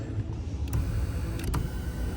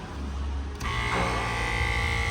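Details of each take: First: 2014 Kia Cadenza driver power seat after repair: a low, even motor hum with no grinding. A displaced protective boot had been riding the rail and causing vibration and noise, and freeing it fixed this. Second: 2014 Kia Cadenza driver-side power seat: seat motor runs in short bursts with a loud buzzy grinding whine from something rubbing the seat track, much louder than normal.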